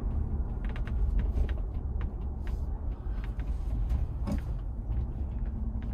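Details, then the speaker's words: 2021 Ford Bronco hardtop on the road: sharp irregular pops and creaks over low road rumble, roof panels working against each other; a new squeak now comes from the back of the top after an attempted fix that only partly helped. "yeah yeah it's a little better yeah but it's still there so uh and now we got some weird-ass wheat coming from the back of the top yeah i know that wasn't there before"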